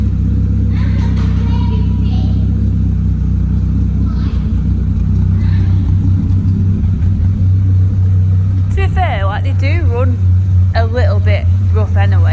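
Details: Renault Clio 182 at steady low idle after misfire repair, slight unevenness but no real misses; misfire fixed, though a new noise then appears.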